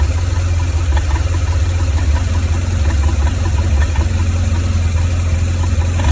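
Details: 2004 BMW R1200GS at 36,000 km with a rough idle from the right cylinder head: loud, low, uneven pulsing, one side seemingly missing. Valve clearances, rocker arms, spark plugs (not fouled) and ignition coils were checked; cause unknown.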